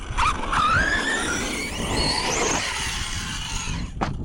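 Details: Fireteam RC car after a big jump landing, chassis possibly bent: a thin squeal climbs in pitch with speed over rough running noise; owner suspects the motor was damaged, not confirmed.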